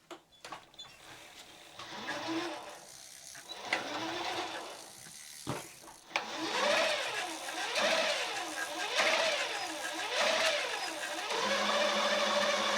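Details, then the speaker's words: Giant Twist Double e-bike, roughly 30V, with a Sanyo front hub motor just fitted with new internal gears after the old worn gears caused noise. On a stand with the front brake squeezed for load, the motor whine swells and eases with no grinding, so it sounds healthy. "Nou, dat gaat goed. kijken hoe het gaat. Als ik ook de voorrem wat inknijp, dan krijg je namelijk weerstand."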